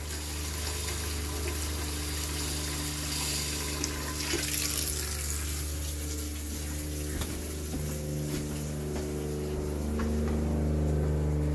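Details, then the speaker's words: Homestead 12V RV water pump running normally at first faucet turn-on after plumbing in 3/4-inch PEX lines: steady low hum with fast, even pulsing over running water; it works and shuts off as it should, just loud. "This is why I didn't want to use that pump, because of how loud it is."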